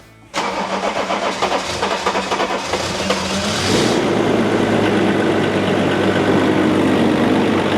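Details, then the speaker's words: Range Rover P38 after replacing crank pulley and water pump: brief cranking, catches cleanly to a smooth even idle with no rattle; previously rattly and rough, now healthy. "We've done the crank pulley, we've done the water pump, and now it sounds a lot better. So before, it was sounding really rough, but now it definitely sounds a lot smoother."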